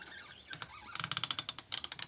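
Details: SK million-tooth ratcheting screwdriver, backdrag about 275–300: quick crisp even ticks, about a dozen per second, no grinding; healthy ratchet mechanism.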